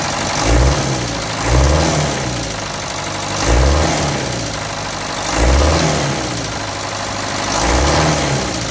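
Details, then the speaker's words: Land Rover Series 3 diesel, project vehicle, just fired for the first time after starter solenoid fix and stop adjustment: lumpy idle swelling and dipping about every two seconds, not yet smooth; spill pipes, washers and glow plugs seen leaking. "look well yeah she's up and running look at that"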